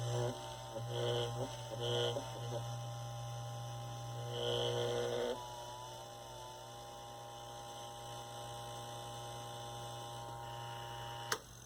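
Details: 1960s Eskimo desk fan, model 081005, bare motor run without blades after bearing service; smooth, steady electrical hum with no chatter or rattle: normal motor hum.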